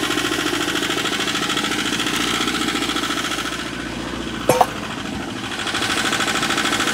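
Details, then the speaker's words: Wacker Neuson ST45 skid steer with a Perkins diesel, owned two years, started clicking and would not shut off with the key; runaway, hammering hard at high speed. Owner thought the air filter was clogged; needed to block the air intake. "I was looking all over. I thought there was like a kill switch. Kept pulling on this thing, but I think that's just for the hydraulic release. I could not find like a master shutoff or anything besides the key."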